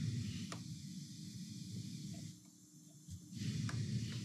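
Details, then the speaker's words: Marantz 2220 receiver before transistor replacement: constant soft hiss with no music and a few faint clicks, hiss in the left channel, 60 Hz hum in the right when cranked; preamp suspected because volume and balance affect it. "it has a hiss in the left channel and if you really crank it it has a 60 hertz hum in the right channel so let you hear that"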